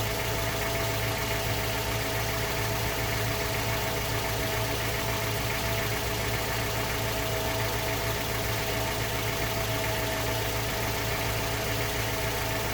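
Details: Mazda 3 BL 2.0 MZR DISI after cold start: light irregular metallic knock, roughly two per second, under injector ticking; owner suspects piston slap or rod bearing, unconfirmed.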